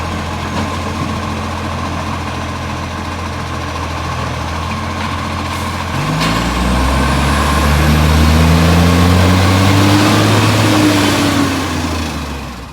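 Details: Brisbane garbage truck 707 heavy diesel: steady fast puffing tick at idle, chuffing rising with revs; exhaust leak.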